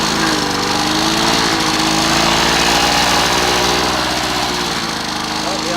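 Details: Old Victa Impulse Start Utility two-stroke mower, as found, mowing: a raspy buzz that pulses evenly, dips slightly under load, then recovers. It runs properly.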